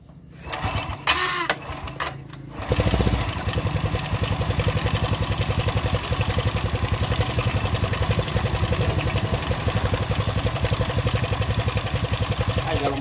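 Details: Honda Revo fuel-injected single after engine rebuild with new cylinder block and connecting rod, following a clogged oil filter that starved oil circulation, head cover still off; starts after a couple of tries, even quick putter, no knocks: normal idle.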